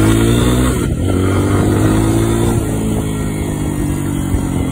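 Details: New fuel-injected Lifan KPX 250 enduro, ridden after readjusting: strong even exhaust drone holding steady under throttle, no stumble or misfire; pulling cleanly.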